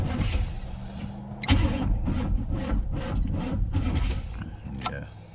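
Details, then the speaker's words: '87 Pontiac Firebird that has sat for a long time: uneven bursts of starter churning and clunks that never catch. It cranks but won't start; owner suspects the carburetor, battery and possibly the alternator. "it doesn't my trash show carburetor and probably my battery too trash carburetor probably this trash battery that's because it has been sitting so long"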